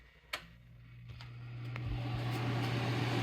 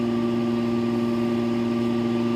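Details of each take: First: Small modified sine wave inverter with an always-running cooling fan, started after a pure sine wave unit: fan spins up over a couple of seconds, then an even, steady whoosh with low hum and no buzz; normal fan run. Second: Fan motor powered by a modified sine wave solar inverter: starts fine but has an intermittent harsh electrical buzz from the choppy power, annoying but not harmful to the fan; motor buzz from modified sine wave power.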